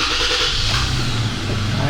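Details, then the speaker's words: 2017 Toyota Tacoma SR5 TRD double cab 4WD, about 140,000 miles, engine running with blower on for A/C or heat: low steady droning rumble from the vents; failed blower motor assembly. "you heard it and let's see what he means some noise from the vents right that's fan over"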